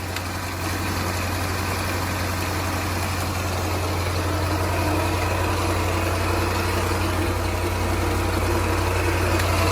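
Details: 2013 Range Rover L405 Supercharged, cold at low rpm: light busy rattle over erratic idle, check engine light for timing; failed bank 2 timing chain tensioner letting chain go slack, before timing chain replacement.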